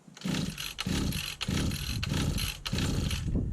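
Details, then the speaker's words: 1991 Victa VS19 straight-shaft two-stroke strimmer, with its carburettor just refitted: short sputtering bursts that catch briefly and die. It cut out as soon as throttle was given; the owner suspects the throttle cable needs adjustment. "We've got a little bit of a purr then. It fired. I've got life. Just didn't stay running, that's all."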